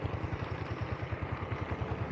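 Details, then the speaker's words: Honda Supra 125 motorcycle after repairs for clutch slip, hard morning starting, smoke and an engine rattle: an even single-cylinder thump with no ticking. It no longer stumbles when the throttle is blipped, a normal idle. The idle speed is possibly set too low, under 1000 rpm. "nggak ada suara etek-etek [Musik] Hei anti blebah biasanya motor ini kalau dihentak itu Bebel Heboh gitu Ini udah enggak udah aman"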